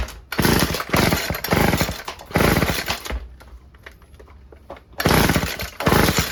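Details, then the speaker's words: Old Stihl FS36 two-stroke string trimmer (sold as "runs on spray"), tried with choke on and off and fed two-stroke fuel: repeated short pull-cord spins with no firing or catch; cranks but won't start. Plug found fouled, owner suspects rich running. "Why don't you want to start now? Absolutely nothing. That is strange."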